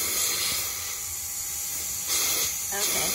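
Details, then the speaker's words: 1989 Crown Super Coach bus diesel: steady high, sharp hiss with a couple of louder surges, compressed air leaking from the line feeding the shutoff cylinder near the exhaust; main air leak not yet found. "well you can hear it leaking right that's what's leaked back here leaking in that exhaust board the topic"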